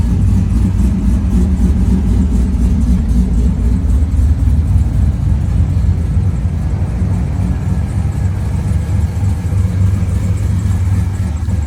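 Deep idle with an uneven, loping pulse that stumbles now and then, even under a light rev; sounds like a cylinder misfiring.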